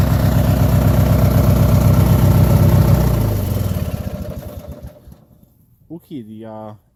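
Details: Land Mark 18/46 lawn tractor, cold start after being hard to get running: loud uneven chugging at about four pulses a second that dies away, a rough struggling cold start; the engine later smoothed out.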